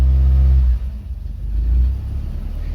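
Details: VW Mk2 Golf GTI 16V with a bike-carb conversion, cold start with no choke fitted and a little throttle. It catches almost at once and settles into a slightly lumpy cold idle that should smooth as it warms: normal cold start.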